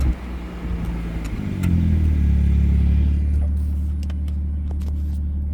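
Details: BMW 440 rolling after a brake pad replacement: low steady rumble with light irregular clicks and taps creeping in; cause of the new brake noise unknown.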